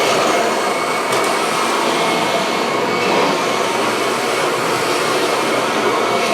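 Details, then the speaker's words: A "Franken-Kirby" vacuum (Ultimate G combined with a G3; base and motor from the G3, spliced cord) plugged in and running: a steady, even motor roar with a smooth airy rush and no grinding, rattle or pitch wobble. It runs normally with no issues. "so as you guys can hear it runs pretty well there's really no issues"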